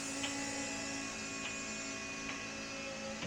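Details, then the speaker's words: 1977 Daimler Double Six V12 coupe, sitting since 1982, with the fuel pump run while the battery is disconnected: steady electric hum with faint ticks about three per second. Fuel is returning, no leaks, and the pump runs normally. "I think it is. Yeah, I can hear it returning. Perfect."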